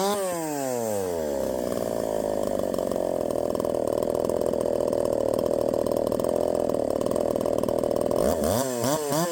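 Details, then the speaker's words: 372XP clone chainsaw after ignition timing was advanced from stock: it revs up, then holds a flat, strained tone in the cut at barely 10,000 rpm. The owner suspects too much timing advance and plans to back it off. "she still ain't nothing special barely getting 10 000 in the cut that's uh that's pathetic I guess maybe I've got too much timing at this point"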